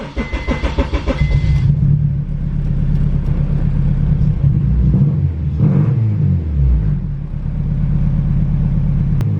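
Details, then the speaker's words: Turbo Honda Civic EK after fuel pump swap, started after priming fuel pressure by cycling the key: uneven, slightly lumpy idle with wavering rumble, a little better than before but still misfiring; cause suspected, not confirmed. "sounds a little better but not a hundred percent well that's a little bit depressing man i'm not gonna lie i was actually really looking forward to that having fixed it"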